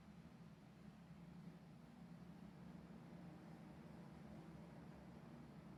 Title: Rtx 5090 and ryzen 9950x3d on Sf1000 psu weird noise at load